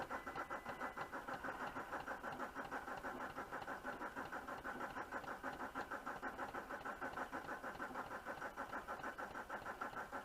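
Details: VW Touareg 2.5 R5 TDI 174 bhp manual 4Motion, about 400,000 km, cold start: quiet, lumpy idle with uneven pulse about three times a second and smoke, worsening over the last 100,000 km; faulty injectors.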